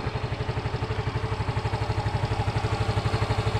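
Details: Yamaha Mio M3 scooter after part replacement fixed kick-start-only starting, electric starter now working: steady, even putter about four pulses a second, no knocks or rattles; normal smooth idle.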